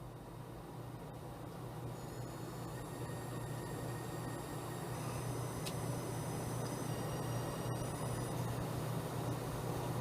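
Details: Galax GTX 970 in 2-way SLI on MSI X99A SLI Plus, i7 5820K, EVGA 1000W PSU: thin high-pitched whistles stepping and sliding in pitch over steady fan hum, GPU coil whine.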